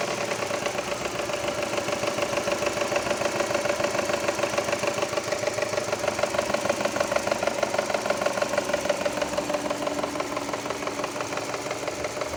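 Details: Subaru Impreza engine: steady run with a sharp, regular knock about three times a second over idle; engine knock, source not pinned down.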